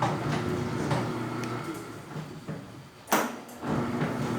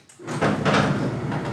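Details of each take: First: 20-year-old tilting garage gate after bushing its worn arms with PET plastic; steady motor hum while traveling, mostly quiet now, with one firmer clack at the bottom of the stroke. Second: Tilting garage gate with 20 years of use gives a harsh scraping groan with rough knocks as it opens, after the lock sound, from worn, unlubricated lifting-arm pivots.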